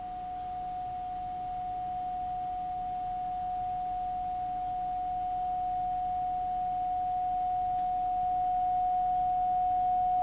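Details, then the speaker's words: Philco 41-280 radio field coil speaker on a bench test: a clean steady tone with no buzz or rattle, getting louder as the DC field voltage is raised; speaker working properly. "and you can hear what I'm talking about again as I'm bring the DC voltage up the amplitude of the signal from the speaker is getting louder"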